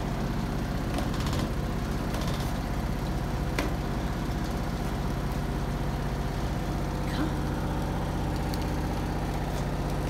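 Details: 2005/2006 Maytag Neptune washer at maximum spin speed; the owner suspects an unlevel or insufficiently sturdy floor. A deep, continuous rumble with uneven thumps as the machine shakes hard: excessive spin vibration.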